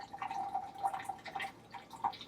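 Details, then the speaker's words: Truma instant hot water heater in an Alliance Delta RV: light, uneven knocks over a trickle of water from the unit itself. It happens only at low hot-water flow and stops at full flow. "So you hear that little knocking sound? That is the actual unit itself, and it only happens when you're on low pressure."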